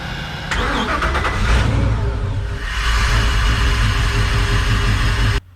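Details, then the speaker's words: Crusader 8.1 Captain's Choice marine V8 after reinstalling the number five and seven spark plugs: uneven, loping idle with a rhythmic stumble in the exhaust beat; lope persists with new plug, rough lope from a clogged injector. "so now we have to look at other items because the spark plug even with a brand new spark plug it still is loping so with the new spark plug we shouldn't have had a lope"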